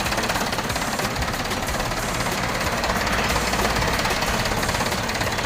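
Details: Mahindra 475 DI tractor, Lucas TVS starter motor reassembled after repair of broken bush/housing (katora), dirt and oil found inside; steady, fast, even chatter of the diesel cranking, no clicking or slipping from the starter.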